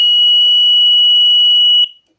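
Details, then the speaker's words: DIY alarm built with a 7805 stepping 12 V down to 5 V for a CD4017, and an L293D driving a 12 V buzzer; the sensor is triggered and the buzzer gives one loud, steady high-pitched tone that cuts off cleanly, sounding normally. "Anytime someone passes by the sensor the alarm is triggered so let's show you it works"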